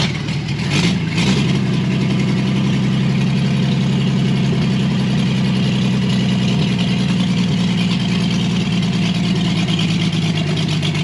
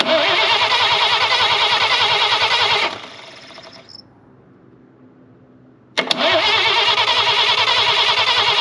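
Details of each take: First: Chevrolet Blue Flame stovebolt six, out of the truck, run longer on test with a sink instead of a radiator, getting warm: steady even low idle, smooth unchanging beat, no knocks or misses; healthy warm idle. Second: Chevrolet Blue Flame stovebolt six, out of the truck, cranked with points ignition checked by test light, no carburetor fitted yet: steady cranking ~3 beats a second, pause, more cranking, no catch; spark present, no fuel.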